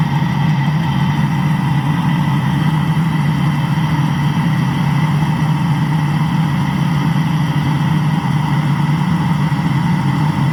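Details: Land Rover after engine block repair: smooth, even low idle with a steady beat and no knocks, ticks or misses throughout; engine running healthy.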